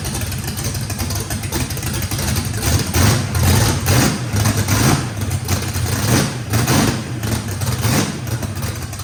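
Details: Fresh drag-race engine with a radical camshaft, first fire-up, idling choppy and lopey, swelling and sagging about once a second, no mechanical noise. Heavy overlap and lobe separation likely needed lots of throttle, blade about six percent open; normal lopey idle.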